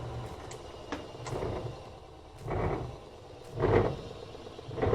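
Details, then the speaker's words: Frigidaire laundry center washer (model FGX831FS5) after the motor is switched off mid-spin: this model has no brake, so the transmission keeps turning on inertia, with soft swishes about once a second that slowly fade; a normal coast-down. "you can see the motor is stopped but the transmission has inertia so it's still going to spin and this kind of model it doesn't really have a brake like on some washers"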